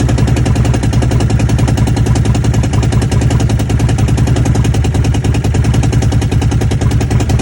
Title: Commander misfire?